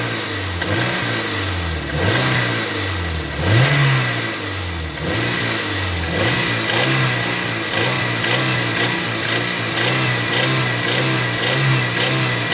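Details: Toyota MR2 Mk3 Roadster, laid up for a long time, now on fresh fuel and a new battery. Revs rise and fall with a tinny metallic rattle over the exhaust note mid-range, 2200–2500rpm. Cause not pinned down; part 1.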